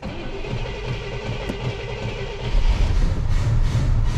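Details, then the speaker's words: 1968 Cadillac Eldorado V8 with an uncleaned carburetor, sat 20+ years in a steel building: the starter churns about three to four turns a second, then the engine catches and settles into a smooth, even run with a nice exhaust tone. "Woohoo! There it is! Oh, it's alive! No carburetor clean needed. These automotive carburetors, they just seem to hold up completely fine when you let them sit like that. Running just so smooth too. Unbelievable. Nice tone out of the exhaust."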